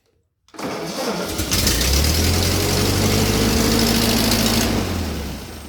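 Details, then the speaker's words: Ford 9N tractor with replacement three-arm governor: starts and races to a fast, steady high idle that never drops; throttle butterfly can't close fully against its stop and idle can't be adjusted lower, so idle speed is too high. "as you can hear it runs way too fast and there's no physical way to adjust it any lower because the governor does not allow that that is the first problem"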